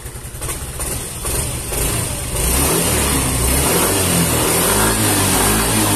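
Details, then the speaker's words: Yamaha Mio M3 scooter, fuel pressure near 80: engine settles into a steady idle, then picks up cleanly on the throttle without stumbling; running normally again. "Hai nah oke sudah normal lagi"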